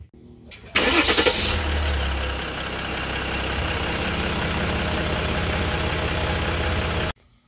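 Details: 2014/2015 Jeep Grand Cherokee 3.0 EcoDiesel, about 130,000 miles, after replacing the failed transfer case control module: a short crank, quick catch and steady idle with the earlier clicking gone.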